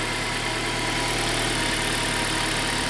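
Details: 2007 Toyota Altis with B2796 immobilizer no-communication code and no-start, after fitting surplus ECU: even, steady idle with constant hum, no misses, knocks or stumbles; now starts and runs normally.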